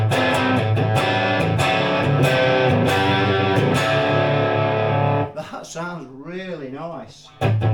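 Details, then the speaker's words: 1980s KMD GV60 hybrid guitar amp, 5881 valves with solid-state preamp, on the high plate-voltage setting: guitar tone full for about five seconds, then drops out suddenly and returns thin and wavering; amp cutting out from excessive plate voltage. "that sounds really really nice that does yes we've got some issues again you see we've lost and that tends to happen when it's on this high [Music] setting"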